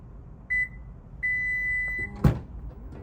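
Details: 2024-2026 Lexus TX power tailgate kick sensor, smart key carried: a short high beep, then a longer steady beep and a soft clunk as the latch releases; normal kick-to-open acknowledgement beeps.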